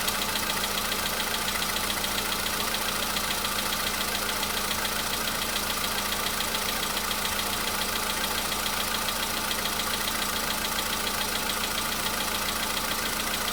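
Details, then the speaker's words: Polo Sedan CFNA engine, cold start one day after oil change and engine flush: light, regular tapping about three to four per second over a steady cold idle; mild knock, less than before, previous day none. "Чуть-чуть есть, совсем мало. Нет, есть, конечно. Так вот есть, постукивает."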